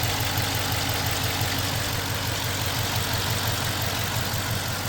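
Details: Running CORE 5.7L HEMI V8 removed from a 2020 Dodge Charger Police, about 110,000 miles, idling with an uneven, lumpy beat stumbling about three times a second; cylinder 1 misfire, code P0301, otherwise runs strong without overheating.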